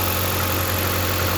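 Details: 2013 Jeep Compass that would not start because a short at a capacitor blew fuse 23 (ASD/coil feed), after unplugging it: short stretch of smooth, steady idle with an even low hum, no stumble or miss; running normally.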